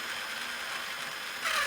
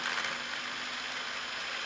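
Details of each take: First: Traxxas Summit RC truck, motor refitted after light bar install: high electric motor whine turning harsher with a steady gear tone; spur gear mesh set too tight, adjusted to between too tight and too loose. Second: Traxxas Summit RC truck, motor refitted after light bar install: steady high motor whir with even gear hum, no grinding, clicking or slipping between forward and reverse, after earlier click on let-off; spur gear mesh set correctly between too tight and too loose.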